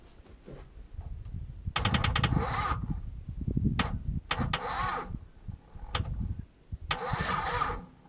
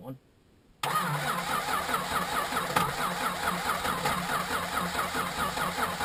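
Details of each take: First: Chrysler Valiant VJ, sat in a paddock for 25 years, first start attempt: irregular starter cranking with a few weak, uneven catches that die away, no start; a really bad earthing problem suspected. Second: Chrysler Valiant VJ, sat 25 years, ignition very dodgy, parts from an XD Falcon: engine catches instantly and settles into a slightly lumpy but steady idle, no knocking.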